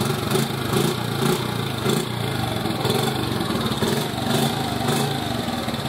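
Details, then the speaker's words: 1986 Honda TRX70 ATV after a top-end rebuild with all Honda parts, torn down several times. Starts first kick and settles into a steady, even single-cylinder idle with no knocks, ticks or misses: normal idle. "ah what a good feeling it's also a good feeling that it started first kick how cool is that"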